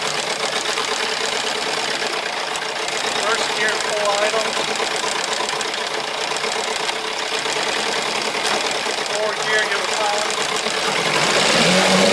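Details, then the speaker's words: Evinrude twin 8 hp outboard on a sailboat, after cleaning a carburetor gummed by old fuel: steady, even idle with a light regular patter about four beats a second and no misses or surging. It runs fine through forward and reverse. "we then mounted the carburetor back on the engine and did a full cycle of a forward reverse gear is at full idle and everything works fine so that was the fix"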